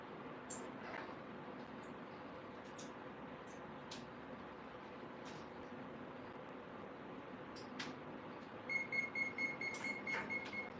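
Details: 3D-printed fan motor system for a drone, not strapped down: quiet room, then a quick run of short even high beeps near the end; speed controller asking for recalibration.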